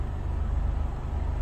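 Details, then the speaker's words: EF Civic sedan idling, mic close to the engine: a low, steady throb with an even pulsing shake and a growl; the vibration appeared while chasing an oil leak, cause unknown. "and so after all that i still have this little shake oh you can see it but if you put the mic up you can hear it it's just vibrating away"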